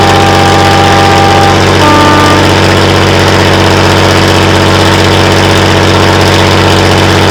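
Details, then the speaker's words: Class 117 DMU 51412 heavy diesel engine, first start in 5 years: fires up and idles with loud steady drone and ragged uneven thump about twice a second, then stalls shortly after starting; cause not yet confirmed. "She fired up. She lived. And then Shortly thereafter, as you've seen, she's stopped."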